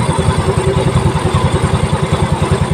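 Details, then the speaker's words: Yamaha Mio Soul i at idle after turning the broken cam chain tensioner to silence it, replacement tensioner still advised: steady low idle with even firing pulses and no rattle or tick, quiet for now. "Ang sabi ko sa may-ari magpapalit na lang tayo ng tensioner kasi sira na to kay ngayon tahimik Oh wala na oh wala na"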